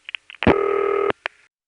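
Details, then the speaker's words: A New York call via Gotham tandem in 1975-77: two revertive digits, then five, then a long pause before Gotham cuts through and the panel rings. Short clicks are heard, then a steady buzzing ring tone with a tick after. "And after that, there's a long pause. And then finally, Gotham cuts through and the panel rings."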